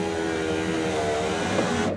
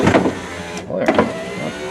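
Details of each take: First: 1994 Ford F150 door window motor just replaced: steady electric whir, short pause, then sharp bang when motor starts; owner suspects the large drive gear/sprocket off the motor in the regulator. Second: 1994 Ford F-150 door with replacement window motor, track lubed with engine assembly oil: steady electric motor whir with a brief stop and restart, smooth and even, no grinding or binding; window motor runs freely.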